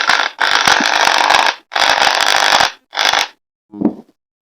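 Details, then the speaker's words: Makita 6413 screw drill that runs poorly and heats up quickly: harsh gritty whir in short on-off bursts, rougher than a sound drill. On opening, an armature bearing was found failed. "this is Makita screw drill 6413 model this drill not good working and quickly hit it means need repair"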